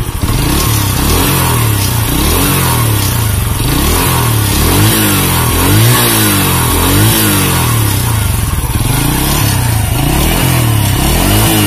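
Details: Honda C100 (Grand) motorcycle with rough engine and sluggish pull: repeated throttle blips about once per second with a coarse gravelly edge. An oversized piston is suspected; cam chain and clutch were also inspected.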